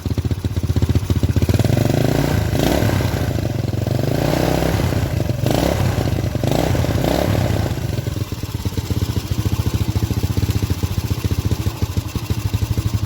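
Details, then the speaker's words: Honda Supra-series carburetted single, warm engine but carburettor sweating cold, plug fouling black, before repair: lumpy, uneven putter that blubbers and stumbles when blipped; rich mixture, high fuel use, carburettor jets and needle to be inspected. "Ben beres riyen pak tes boros pak. Tese busine mboten sakit garing."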